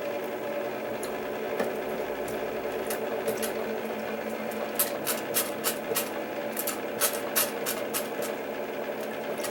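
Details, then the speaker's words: Keurig K60/K65 that won't brew, possible coffee grounds residue in capsule area: steady buzzing pump hum with scattered sharp clicks and no water flow; clog in brew head, top end. "it tried to empty the tank but it couldn't so that tells me i've got a clog somewhere in the head up here"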